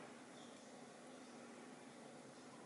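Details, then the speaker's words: Laptop after its IDE hard drive was cloned to an mSATA SSD in an mSATA-to-IDE enclosure, no longer spinning a hard drive: very quiet, just a soft steady fan hiss with no spin or seek clicks, normal quiet operation. "it's plugged into and immediately it's quieter because it's not having to spin that hard drive so hard"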